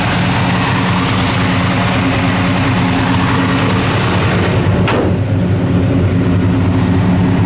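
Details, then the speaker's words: 1969 Chevelle Malibu, freshly rebuilt 454 4bbl big-block V8 (bored, flat-top pistons, new bearings, rings, heads, Comp cam); deep steady idle with even lumpy beat, no knocks or ticks, normal idle. "the motor's all rebuilt and sounds like it. This motor sounds absolutely beautiful."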